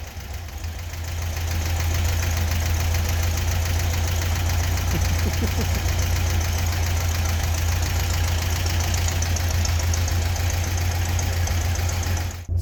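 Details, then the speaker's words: 1976–77 fuel-injected Volkswagen Beetle convertible air-cooled flat-four, first start after top-end rebuild fixing loose head bolts, seized rings, bad valves and heads, missing cooling tins; steady even low rumble at idle, no ticking or knocking, normal. "started up really nice there was no smoke there was no noises"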